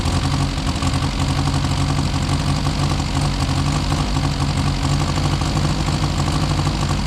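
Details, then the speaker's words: Four-cylinder classic car revived after sitting about 35–40 years, no timing or adjustments yet: uneven, lumpy idle with irregular low thump and odd stumble, mostly firing on four; owner suspects timing, rings and valves. "okay so she's running pretty rough but I think sounds like it's firing on most of the time on four cylinders"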